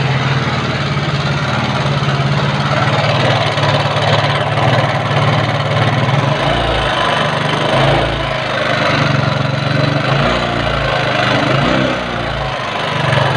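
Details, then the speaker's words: Yamaha Mio carburetor scooter with a complaint of rough engine sound. Idling and blipped, it sounds harsh and uneven with a rattly edge as revs rise. Rough-running engine, source still being analysed. "Yamaha Mio karburator keluhan motor-motor suaranya kasar"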